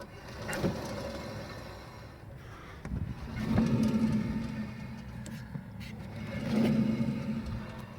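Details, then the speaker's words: Ford Mondeo MK3, car raised, rear wheel spun by hand in first gear with handbrake off: rough gritty rumble swelling and fading from a worn rear hub bearing, heard inside from about 25 mph; fix is hub assembly replacement. "I hope it'll come on come through on the phone um but yeah that's so we have you know you can pretty much hear that's pretty much toast"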